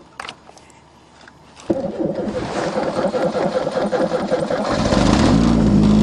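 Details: Chevrolet with 3.8 on the coldest day of the year in Canada: short crank, then catches at once and settles into a smooth, steadily rising idle; clean cold start.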